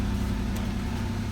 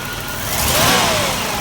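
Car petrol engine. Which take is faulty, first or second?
second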